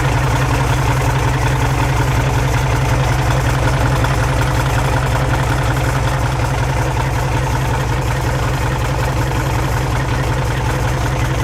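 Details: Peterbilt pulling truck "Business Expense", first start in neutral after installing used custom-built 3406E-type injectors: deep, even diesel idle thumping about 160 times a minute, no misses or knocks; steady, healthy idle.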